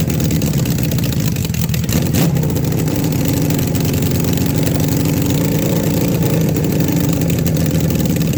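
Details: Engine started on the key right after the carburetors were refitted and the battery installed: even, low, steady idle holding speed without misses, hunting or knocks; normal idle.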